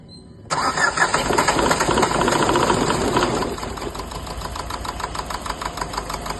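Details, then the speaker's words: Renault Duster 110 PS diesel before injector replacement: cranks and catches, then runs with uneven lumpy clatter and stumbling beats; misfire from faulty injectors on cylinders 1 and 2. "So இதில் என்ன complaint பார்த்தீங்கன்னா, engine வந்து மிஸ்ஃபயரிங் ஆகுது. So மிஸ்ஃபயரிங் வந்து 1 and 2 ரெண்டு injector வந்து fault."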